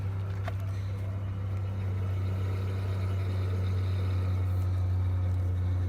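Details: Ford engine running during power steering fluid flush with ATF: steady low droning whine as the wheel reaches full lock, pump straining at the stop; loud power steering pump, cause suspected, not confirmed.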